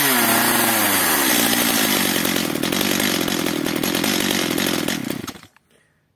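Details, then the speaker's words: Stihl MS 230/250 chainsaw with unstable running and apparently weak compression, L screw adjusted half a turn, not yet warmed up: drops from a high buzz to a fast, steady patter, then dies; stalls because the throttle stop idle screw is set too low. "pracuje już prawie normalnie jedynie gaśnie dlatego że muszę teraz wkręt te wkręcić czyli wkręt zderzakowy przepustnicy którą podpiera"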